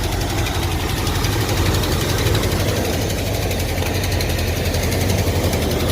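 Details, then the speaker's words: Early-1980s (about 1984) Ford F-150 V8: low, lumpy, loping idle with ignition timing retarded to about top dead center (normally 10 degrees BTDC); needs advancing. "you can see our timing is apparently at right at top dead center i need to tweak this thing a little bit i need to advance this thing a little bit"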